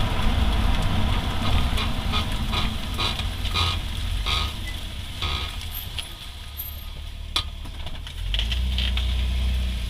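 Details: 2008 Honda Accord V6, both rear wheels: regular clunking/grinding tick, about three to four a second, while braking, despite new rotors and pads, lubed caliper slide pins, and heat shield checked clear; cause unknown.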